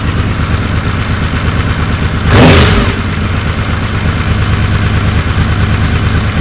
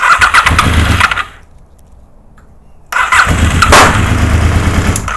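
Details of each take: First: Honda VFR750 V4 on the lift after slow-screw O-rings were removed and the screws cracked out a quarter turn on each carb: steady idle, two quick blips rising sharply and settling cleanly. Response was anemic before; not yet road-tested. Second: Honda VFR750 after long storage, on a low battery with primed carbs and the enricher off. Two bursts of labored cranking that never catch: the coil trigger and power wires for cylinders 1 and 3 were swapped.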